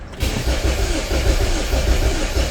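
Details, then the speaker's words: LPG car crank no-start: steady rhythmic cranking that never fires; rail pressure only 3.1 then 2.9 bar (tank pressure) with pump duty 58% versus normal 15–30%; fuel cut solenoid valve stuck closed, a common failure more than the pump. "이 차량들이 연료 컷 솔노이드 밸브가 자주 나가고 또 내구성이 좀 떨어져요."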